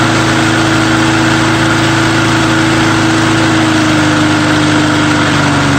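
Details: Small engine after a true cold start with undrained gas holds a steady, even idle with a constant buzzing pitch, no misses or knocks; owner thinks the primer bulb is partly plugged.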